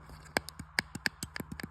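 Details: Audi R8 paddle shifter after removing a broken-off plastic clip piece that was keeping the button from being pressed: crisp, sharp, distinct plastic clicks in quick succession, switch actuating normally.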